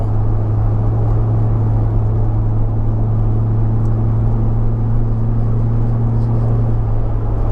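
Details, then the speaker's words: 2004 Jaguar XKR V8 with upgraded exhaust, four of five silencers removed: heavy, steady low boom in the cabin under light load at 1400–1600 rpm cruising revs, gone at 70 mph motorway speed. Exhaust drone at cruising rpm. "So the boom only comes in from 1400 to 1600 revs, which is the typical cruising RPM and where the engine seems to be most happy."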